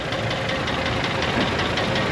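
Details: Old Ford F150 4.6 V8 at idle: loud, busy idle with a steady light knock and rattle, plus misfiring. Oil bottles were in the bed and metal in the oil was checked for. Engine judged to need replacing, so repairs were declined.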